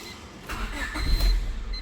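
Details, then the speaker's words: 1999 Honda Civic, manual transmission, 177,000 km, with an intermittent stalling complaint: the starter cranks, the engine catches briefly with a low rumble, then the dash lights go out and it stalls; the cause is a bad ignition switch. "I'm going to start it up okay there and then all the lights go out on the dash wow the ignition is still in the running position so now I can keep cranking it and it stalls out"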